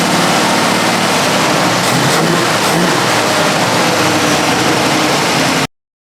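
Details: 1968 Chevrolet Camaro convertible, 350ci small-block V8 with aluminum heads, 700R4 automatic: deep, strong V8 rumble holding steady, swelling briefly with a throttle blip and staying even; healthy running engine.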